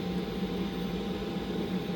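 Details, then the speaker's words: Chinese 5kW diesel heater installed under seat in 3rd gen 4Runner, primed, on H3 mid setting, warming up: smooth steady fan rush over even hum, no ticking or popping; normal operation. "and I'm already starting to get some warmth out of it uh these tend to build up heat the longer they run they get hotter"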